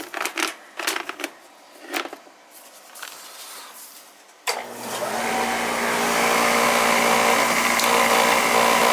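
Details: Old oil-fired boiler burner started with the limit jumped: after some clicking the motor spins up to a steady whirring hum with a rough edge; a noisy air shutter is also noted.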